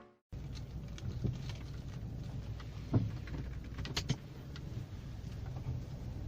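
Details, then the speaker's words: 2007 Kia Picanto driving over uneven road: dull hollow clunks through steady road rumble, louder on the left, from worn stabilizer bar bushings, which the owner replaced on both sides. "jadi seperti ini suara gluduk gluduk di kalian mobil saya"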